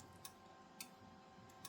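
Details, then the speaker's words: Rigol DM858 multimeter (hardware 1.02) in DC-volt autorange, measuring about 8.7 V on a discharging capacitor with an oscilloscope attached. Sharp, isolated relay clicks over a quiet hiss, with no voltage drop on the scope: normal autorange relay clicking. "do this, you hear the relay clicking, but if you watch on the oscilloscope, there is no drop seen. So, that means that meter looks like it's working properly."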